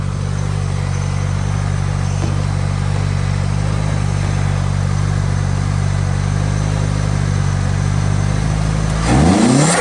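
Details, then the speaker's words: Nissan S13, originally a stock automatic single-cam, just swapped to an SR20DET turbo engine: steady, even low idle with a clean note, then a quick rev blip; engine sounds healthy. "simply just Sr Sr swap the car um it sounds great to be honest"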